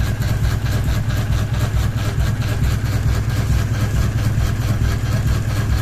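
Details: Ceiling fan running with one blade and a ball hanging off it, low steady rumble with a rhythmic thump a bit over twice a second as the unbalanced fan wobbles on its mount; blade imbalance wobble.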